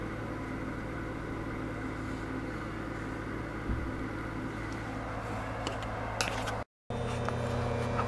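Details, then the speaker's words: Furnace that turns on but won't heat: a steady low electrical hum with a faint rattle, rattling most at first start-up; the vacuum inducer motor, not the valve, is shot, its worn bearings making it drag. "so you can hear the spell it's humming it's rattling it sort of rattled when I first turned it on that thing oh it's it's not the valve it's this motor okay so this motor this motor is shot"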